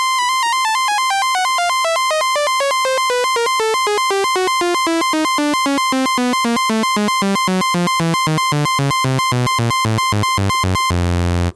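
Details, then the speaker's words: 1973 Minimoog after restoration and oscillator calibration, key contact test stepping down the scale: clean notes each sounding evenly with no crackle or stutter; keyboard contacts working properly. "So you can hear them. They all sound fantastic. So everything's playing like it's supposed to."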